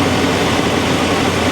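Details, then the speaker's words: 1984 Chevy C20 Silverado with an Edelbrock carburetor, after fuel system repairs, just started cold and warming up with the choke starting to open: deep, even V8 rumble with a steady beat and no misses or knocks; a smooth, quiet idle. "yeah man you can damn near balance a dime that sounds beautiful doesn't it listen how smooth and quiet this thing is the choke is starting to open up"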